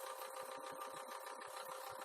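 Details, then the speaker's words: Aquarium canister filter after gluing its broken impeller-shaft magnet, running out of water: quiet motor hum with fast uneven ticking and rattling; owner suspects running in air, and the noise goes away underwater once air is purged. "我在想说，这是不是因为在空中的关系？它在水中应该是没有这个声音吧？"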